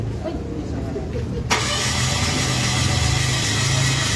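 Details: Mitsubishi Mirage that won't start, compression measured around 60 on cylinder one: starter spins fast and unusually even with no firing pulses and never catches, pointing to low compression.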